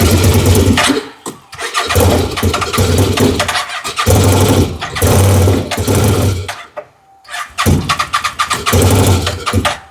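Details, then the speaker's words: Fire-damaged CF Moto Z Force 800: repeated bursts of fast, even cranking with short pauses, never catching even with brake clean sprayed in; a fuel issue is suspected, possibly fuel lines swapped, and it was later fixed with a swapped-in fuel pump. "Okay, so we definitely got fuel issues. So maybe we'll try a switcheroonie on the fuel lines and then try it again."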